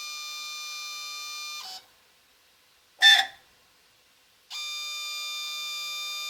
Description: Apollo DIC C5 machine, multisampler valve making screeching sound at when initialized and switching inputs when running "Clean Valve" in software